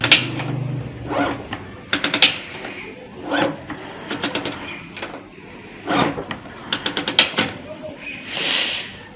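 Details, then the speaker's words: Motorcycle: irregular bursts of sharp metallic ticking and rattling; suspected clutch or shift mechanism cause. "यह के नीचे नहीं जा रही कि जो इस तरह लग रहा है कि मिश्रा हंस रही है यह अजीब सा मतलब"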